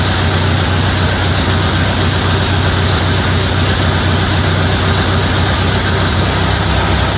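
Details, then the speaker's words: 1931 Ford Model A Victoria after an in-frame repair replacing the cam and tappets following a broken valve lifter: a steady, even low idle with a soft, regular beat and no tapping or knocking. It runs as it always did, healthy. "oh that sounds like it always did I guess I'll adjust the carburetor I would call that a success"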